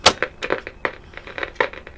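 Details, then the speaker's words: 1957 Bush VHF64 valve radio on dim-bulb tester: irregular sharp crackles and pops over quiet background on long/medium wave, quiet on phono input, crackling also on FM. "we have crackling medium wave it's quite bad foreign some crackling"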